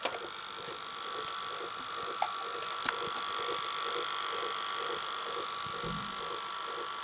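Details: Panasonic NV-SD430 VCR (Super Drive, Z mechanism), garage sale find: tape mechanism runs with a steady high whine and a dull rhythmic knock about four a second; noisy mechanism, cause unknown.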